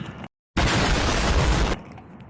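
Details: Nissan 300Z first start after long diagnosis, with the cam angle sensor tested and the ignition relay bypassed. A single loud, second-long blast then a quiet rumble; owner suspects timing is 180° out from a broken camshaft key: backfire.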